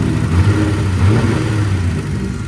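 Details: Turbo VR6 after a transmission swap, with the fuel pressure sensor wired into the ECU: a deep, choppy, loping idle with a brief rev, steady and free of misses; a healthy engine, no leaks.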